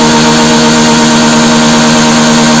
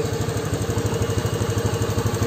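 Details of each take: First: Honda Beat FI (injection) scooter at high throttle: a flat steady drone, then the pitch wavers and creeps up without real pull; it loses power near full throttle. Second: Honda Beat FI scooter after a cheap hose-spacer fix to the throttle position sensor's top stop, top-end power restored: steady single-cylinder putter at about nine even pulses a second, no misses or knocks, a healthy smooth idle.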